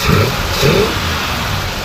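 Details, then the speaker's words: 1966 Ford Galaxie 7 litre 428 Q Code V8, aluminum radiator, aftermarket fan: revved a little, blips up and settles back to a steady, even burble with no knocks or misses; runs smooth, lots of torque. "It actually starts really nice. Overall runs really smooth. Go ahead and rev it up a little bit."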